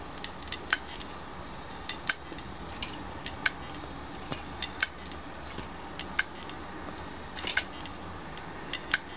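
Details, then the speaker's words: Failed hard disk drive at end of its life: faint hum with a sharp click repeating about every 1.5 seconds as heads keep clicking and it never spins up; drive declared dead, rotating it sometimes restarts such drives. "a veces pueden pasar que te empieza a hacer este sonido y en un momento arranca pero ya cuando hace este sonido continuamente y no para y vos lo ves y no arranca este disco rígido lamento decirte lo ha quedado muerto"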